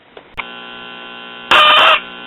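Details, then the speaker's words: Late-1950s Japanese-built Londala tube radio, whose 50C5 output tube had an open filament: steady buzzy hum, then a loud shrill squeal for about half a second when resistors, capacitors or other chassis parts are touched. Suspected loose or intermittent connection. "when i move that resistor it screams in pain that capacitor well heck just about everything under here i touch it screams in pain"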